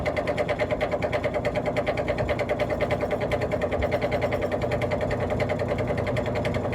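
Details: Vintage 1950s GE box fan, electrically reversible three-speed with thermostat, running on low: steady low hum with heavy rhythmic shaking about three times a second; blade hub not centred on spindle, out of balance, bearing has play, needs oil.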